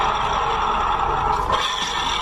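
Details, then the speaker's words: Automatic scooter rear pulley turned by hand after removal (19 mm nut), steady gritty whirring rasp; gearbox sound judged normal, noise traced to worn bearing inside the pulley. "belakang ke depan sama ya yang belakang ke depan Suaranya berisik berarti ini fix permasalahannya ada di bagian dalam sini"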